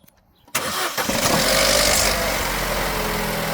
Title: Opel Corsa D 2010 1.2 cold start. Timing chain rattle?